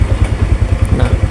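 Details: Motorcycle with recurring dead batteries during charging check, voltage steady around 12 V (normal up to 13–14 V): even regular low thumping single-cylinder idle, no misses or clatter; healthy.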